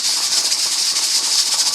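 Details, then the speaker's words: Pressure canner in a dry run on an unfamiliar cooktop, heating up: a steady sharp steam hiss with a faint uneven flutter as the regulator weight just starts to rock. The canner is coming up to pressure. "It's just now starting to rock. When it starts chugging, that's when we have to start feathering back that adjustment down there until we get it right on the edge of where it can do. And you can see now, that regulator is coming on up to pressure."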